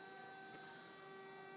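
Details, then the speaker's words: Coil trigger/capacitor/diode circuit at about 1.5–1.6 amps: steady pure tone with evenly stacked overtones; a black Fe3O4 coil was suspected at first, but the whole circuit is self-oscillating. "But no, it's all of them. It's the whole thing is self-oscillating."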